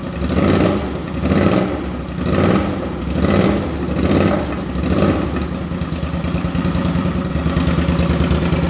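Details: 2005 Suzuki V-Strom 650 twin, freshly swapped very low-mileage replacement engine (old one had rod knock), first start without muffler: sharp throttle blips about once a second then settled idle, crisp even firing; normal free revving.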